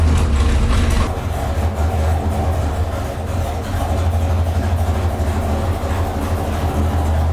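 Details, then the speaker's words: Big-cam V8 on an engine dyno during exhaust manifold tests, with low vacuum and suspected pinging: deep, loping idle at about three pulses a second, like a Harley; a healthy cam chop. "Sounds like a Harley Davidson."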